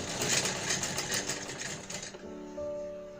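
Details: Pooja-brand home sewing machine after oiling and cleaning inside: quick, even needle clatter for about two seconds with no knocking or grinding. It now stitches smoothly; normal stitching.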